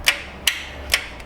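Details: 2006 Honda Accord 2.4, towed in with no crank after storage, battery new: sharp starter solenoid clicks about every half second with no cranking; voltage drops on the power side when cranking.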